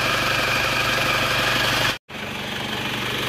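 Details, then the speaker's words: Isuzu Panther New High Grade diesel after engine repair, idling smooth and even but with constant chirpy hiss that stops when wetted with water, worn fan belt to be replaced: worn fan belt noise. "Nah, ini ada suara dari fan belnya. Kalau bisa kita ganti saja ya. Ini kalau diguyur air sembuh ini. Ya. Berarti ini fan belnya ini."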